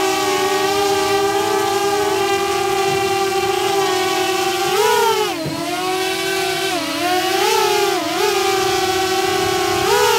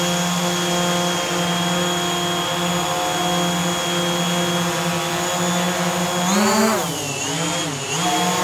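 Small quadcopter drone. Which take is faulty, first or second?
first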